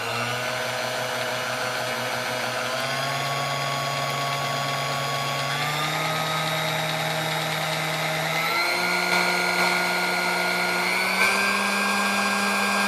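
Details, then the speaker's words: Restored Sunbeam Mixmaster Model 10, run up through the speeds on first run with parts not yet seated, so top speed may be slow to reach; clean motor whine stepping up in pitch, no rubbing or rattle, healthy. "And we'll run up through the speeds, and it may take, when we get to the top, it may take a little bit longer to run up the speed because it hasn't even really been run long enough to get everything seated."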